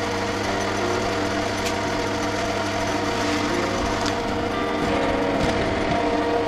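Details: Sieg C2-300 mini lathe after upgrading the spindle to tapered roller bearings, final test on auto speed: smooth, even motor whine with a steady hum, no grinding, rumble or knocking; spindle running cleanly.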